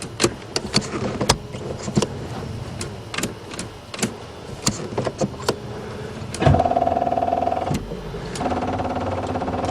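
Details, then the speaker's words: Buick Regal first start in spring after sitting over winter, newly installed battery: clicks then two slow labored cranking tries that never catch; battery too weak to spin the engine. "see what happens oh that bad batteries [ __ ] well now I know which batteries survive the winner it ain't this"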